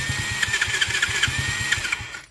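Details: Kids' 50cc Chinese ATV just after starter solenoid replacement: quick, even starter whirr with regular pulses for about two seconds before stopping, cranking freely and healthily; normal starter cranking.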